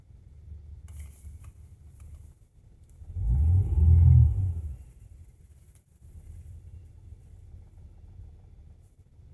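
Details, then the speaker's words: GM 3800 Series II after a no-spark, crank-no-start fix (grounds sanded clean, sprayed with Liquid Wrench): catches almost at once with a short rev, then a low, quiet, even idle; runs perfectly. "and it it it runs perfectly it's like a it's like the problem never even happened all right nice call that a fix right there starts up"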